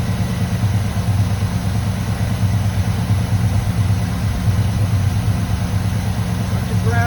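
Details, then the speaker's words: 1985 GM square body truck V8 (carbureted), just started after sitting at least 10 years, still cold with the choke working: a deep, even idle burble with no top-end ticking. It sounds healthy, and the mixture is to be adjusted once warm. "sounds good the choke is looks like it works we'll see as the engine heats up if it opens up sounds beautiful once it warms up a little bit I'll adjust the mixture"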